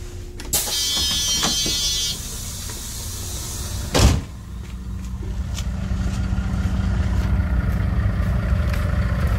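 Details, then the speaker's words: FCC Starter LE diesel bus, Webasto diesel heater at the rear with added booster pump: a few clicks and a thump, then a dull, low hum builds under the engine rumble as the heater lights and burns normally. "On entend un bruit un peu sourd. Hein. Et ça, c'est le Webasto."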